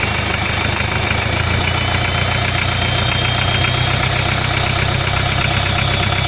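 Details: Hyundai 2.5 diesel (TDI) at idle, hard metallic knock about twice a second over clatter after turbocharger failure; no knock when cold, then light valve-like knock; cylinder 3 connecting rod bearing shells found spun.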